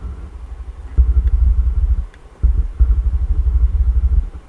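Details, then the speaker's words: Ground Zero GZCA12K-SPL car amplifier after repair and cleaning, powered on driving a sub: bursts of rapid low thumps about four a second cutting in and out as the gain knob turns; dirty gain potentiometer crackle, gone after the pot was serviced. "Alors, en fait, le potentiomètre du gain, il est un petit peu sale, le truc. On va l'allumer, l'ampli. Voilà, je vais travailler, mais on entend le crachotement."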